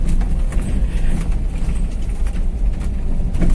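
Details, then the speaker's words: 2012 Toyota Avanza (All New) with electric power steering: dull clunking from the steering column over rough roads, heard over heavy road rumble. "Pagi ini kita akan sedikit membahas tentang gejala stir Avanza yang bunyi pas di jalan rusak ya"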